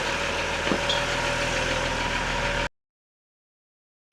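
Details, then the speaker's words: Mercedes 508D/613D diesel run after cooling system flush and 50% antifreeze refill to purge air bubbles, in neutral: even steady idle clatter at regular beat, no knocks or misses; normal diesel idle. "I'm going to fire it up so the air bubbles will get out of the cooling system. Goes a little bit quicker that way."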